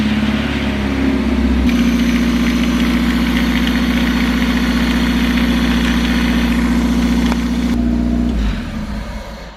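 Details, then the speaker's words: Race car at Cadwell Park paddock, idling late in the evening without revving: busy metallic top-end clatter over a steady note, like a loose bolt in the head; cause unknown. "it sounds pretty broken it sounds like someone's put like a bolt inside the head it's just rattling about"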